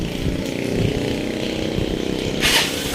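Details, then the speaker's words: Honda TMX 125 after converting to a 4-pin CDI, which fixed push-button start (kickstart had worked): small single starts with one click and runs at a quick, lumpy beat with a blip near the end; running normally. "Ayun oh. One click na lang mga boss."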